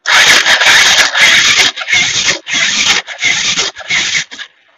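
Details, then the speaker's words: Bajaj Pulsar 150 self-start: loud harsh high-pitched grinding bursts on each starter press, about five cranks; damaged starter bush caused it, starter replaced and noise cured. "इस तरह शब्द ऐसा हो रहा था, इसलिए मैंने स्टार्टर मैंने इसे फिर से बदल दिया।"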